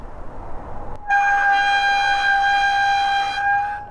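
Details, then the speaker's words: Stunner X e-bike rear full hydraulic disc brake: loud, piercing steady squeal around 800 Hz while braking, louder than a car horn. "i mean that is louder than a car horn it is awful this bike is pretty much unrideable with that brake it is horrible horrible horrible squealing out of these brakes"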